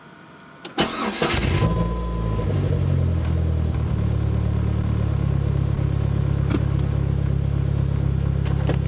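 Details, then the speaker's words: 500hp turbo Dodge Neon SRT-4, built engine, cold morning around 3°, after fitting the cam sensor magnet: brief crank, fires within a second into a steady even idle, no longer taking 10 to 20 seconds to start. "so youve seen before how it took like 10 20 seconds to start up this time it should start up right away"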